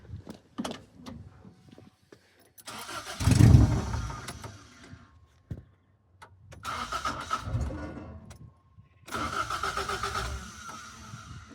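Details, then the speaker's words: Rebuilt Toyota 4AGE in 1975 Corolla KE35, first startup with open manifold, no exhaust: loud uneven bursts that sag and cut out between blips; won't idle without throttle, idle screw fully in. "Ideally, I need it to idle, but I can't. Let's put it a little bit over there. Let's see if we can get it to idle."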